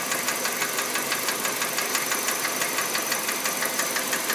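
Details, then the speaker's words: Kia Rio JB, G4EE 1.4 petrol (97 hp), automatic, Mobil 3000 oil: steady light ticking about two per second over a smooth idle; owner unsure whether injectors or hydraulic lifters, cause unconfirmed. "Слышно, как форсунки работают. Не форсунки, это, извиняюсь, гидроконденсатор или что"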